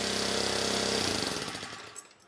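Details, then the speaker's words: 1970s Honda E400 generator, carburetor just serviced, running briefly without cooling shroud: fast, even engine note holds steady, outputs 130 volts, then cuts out and winds down cleanly; runs smoothly with no misses. "all right let's give this a try 130 volts and the engine sounds good very nice"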